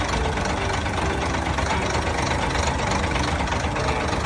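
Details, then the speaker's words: Vi380 diesel idling with a generic rail-pressure tuning box switched on instead of the Vi380-specific one: harsh uneven clatter louder than normal over rough idle, returning to normal when box is switched off; knock from incorrect tuning box. "เสียงไม่ไพเราะหูนั่นเองนะครับพอปิดก็จะปกตินะครับ"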